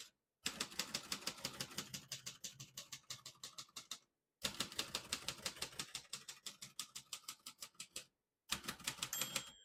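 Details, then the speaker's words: Serviced 1957 Royal Quiet De Luxe portable typewriter: crisp, even key strikes about three per second in bursts, then a clear margin bell near the end of the line; normal typing and margin bell. "you hear the bell, you're at the end of the margin."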